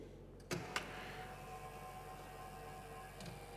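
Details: Cheap industrial floor scrubber, scrub-head linear actuator after repair: a couple of clicks then faint, smooth, even motor whir, no chatter or strain; earlier mid-stroke tight spot gone, travels freely with no codes.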